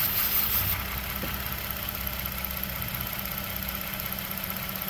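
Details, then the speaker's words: 2014 Toyota Sienna idling with lean codes on bank 1 and bank 2: a missing intake vacuum line gives a faint hiss, and covering the open port changes the engine sound. Fuel trims add about 8-10%; vacuum leak. "What I noticed, missing a vacuum line here. So if I were to put my finger over this hole here, I don't know if you can hear the engine sound. It's louder, it gets quiet."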